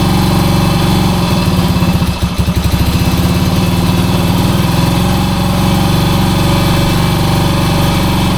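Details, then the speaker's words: 1966 Honda C200 single, off the road since 1972, on full choke; owner thinks petrol may not be getting through: uneven chugs, stumbling near two seconds, then lumpy, uneven idle; running rough. "Oh, it don't sound well, but it runs. That don't sound well at all. It's not well."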